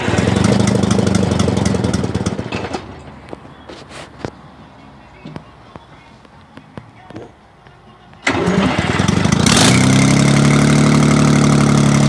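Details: Detroit 6V92 two-stroke diesel, first start after overhaul: a heavy buzz, then quiet apart from a few clicks, then it fires and settles into a steady, even two-stroke rattle. Normal idle.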